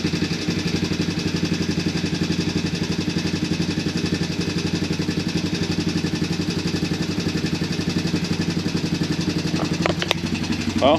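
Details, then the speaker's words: Early-2000s Honda Recon ATV single-cylinder after carb cleaning, old gas removed and fresh battery, run on a reserve tank: even, steady idle at about four beats a second with no misses or knocks, no visible smoke yet; normal idle. "seems to be idling pretty good i don't really see any smoke or anything coming out yet so that is good as well"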